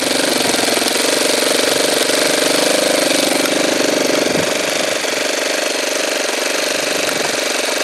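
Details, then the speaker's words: Saito twin model engine during carburetor adjustment: high, steady buzzing drone with rough burbling edge as revs dip, fuel spitting out of the carburetor; rich running. "there is a little bit as you can see it's spitting fuel out of the carburetor"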